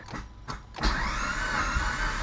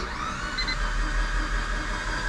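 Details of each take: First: Mitsubishi Evo compression test, cranking cylinders 4, 3 and 2: even, steady whir showing good 160 psi compression on each, while cylinder 1 has zero; normal cranking with good compression. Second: Mitsubishi Evo during a compression test on cylinder 1 (cylinders 2-4 read 160 psi): fast, free cranking with a thin high-pitched whir and no labouring beats; zero compression in that cylinder.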